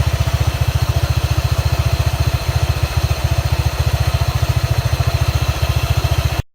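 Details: Honda PCX150 (KF30) scooter at 732 km from new, idling, noise worse during warm-up and low-speed cruising: low steady thump about 3.5 beats per second with rough undertone; drive pulley bearing noise, replaced under warranty with NTN bearing.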